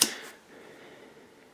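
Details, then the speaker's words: Bad compressor's overload protector on the bench, bimetal disc warped and dished: one sharp snap as the contacts open, ringing briefly then fading, the click heard when a compressor hums trying to start then trips; overload tripping. "so when you hear the compressor try to start and hum and then click this is what you hear clicking"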